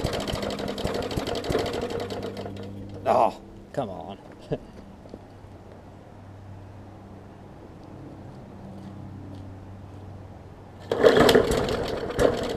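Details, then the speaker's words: 2014 Bolens push mower, Briggs OHV engine, bad carb needle and seat, fuel line clamped: stumbles and surges, loping unevenly while clearing a heavy flood; rich running, purging excess fuel. "yeah i think it's literally just so much fuel it got in there that it's just trying to purge it out"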